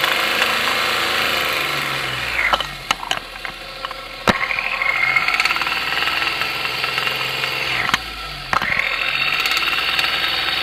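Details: 1993 Geo Metro engine at idle after a Seafoam treatment: fast, uneven knocking over a busy idle with plenty of metallic clatter; knock present, cause not pinned down.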